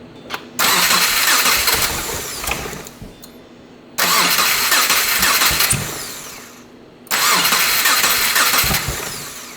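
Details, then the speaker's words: First-generation Subaru Crosstrek with a hand-built 2.5L swap, running with some cylinders unplugged to isolate a misfire: catches, flares, then sags and fades; cylinders 2 and 3 weak, 1 and 4 decent; compression check next. "Yeah, so it seems like it's cylinders 2 and 3 are the guys being a little bit of a bum. 1 and 4 seem to be running decent."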